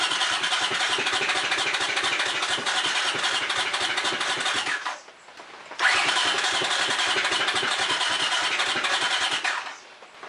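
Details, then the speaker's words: Honda CX500 after plug cleaning, exhaust leaks present: starter churns steadily, pauses, cranks again, never fires; owner suspects not getting fuel, possibly lost compression from sticky valves. "Well, seems like it's not getting gas or something."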